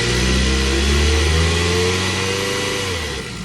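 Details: 2022 Ford Bronco 2.3-liter engine revving up and settling back, with an uneven low drone and a faint irregular rhythm underneath; engine noise, something sounds off, cause unclear.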